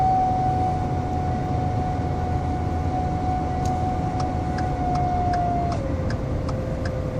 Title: 2013 f150 turbo failure